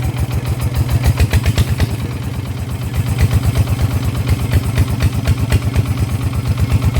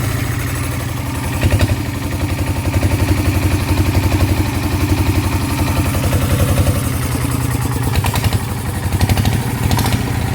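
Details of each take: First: Kubota single-cylinder diesel, after crankshaft rebalancing for a vibration complaint: steady, even beat with a firm low thump each firing stroke, no knock or clatter; vibration clearly reduced, normal running after repair. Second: Kubota single-cylinder diesel, hard to start, vibration complaint: rough, uneven thump about four beats a second with heavy low rumble; mechanic attributes imbalance to crankshaft counterweights too light, plans to rebalance the crank.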